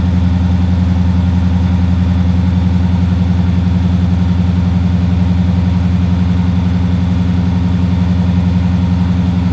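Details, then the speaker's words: Daimler Majestic Major limousine Hemi V8, cold start on choke, a bit shaky: deep even burble, steady beat about four per second, no misses or knocks; healthy V8 idle. "well that is a nice deep Rumble that's nice that that sounds really [Music] lovely little bit cold a bit shaky sounds really nice doesn't it yeah it does"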